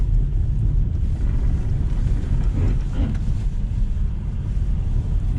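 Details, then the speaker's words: 2020 Lada Vesta SW Cross, 1.8 engine, AMT, 13,300 km, updated SAAZ front struts, driving at speed over rough pavement: steady low road rumble, no sharp knocks or clunks; front suspension working normally. "ну как вы видите срабатывает подвеска глухо ударов нет"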